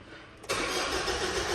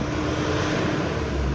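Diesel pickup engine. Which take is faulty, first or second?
first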